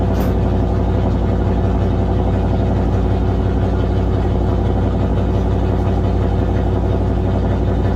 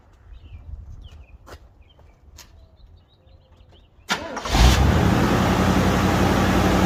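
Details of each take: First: 1978 Chevy Nova Concours V8 with new high-flow muffler, idling high without throttle; steady fast loud deep rumble; vacuum hose found detached and fitting pulled out of carburetor: high idle from vacuum leak. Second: 1978 Chevy Nova Concours idling after a brand new alternator was fitted: quick start settling into a steady, even, smooth idle, sounding much happier; normal idle.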